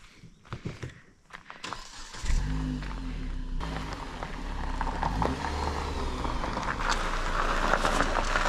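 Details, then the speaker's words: 2016 Jeep Patriot that cranked but would not start, with code P0688 (ECM/PCM power relay sense circuit open) and an ECU issue, now repaired: catches and runs evenly, picking up smoothly on a blip, sounding brand new. Normal running. "huh sounds brand new sounds good"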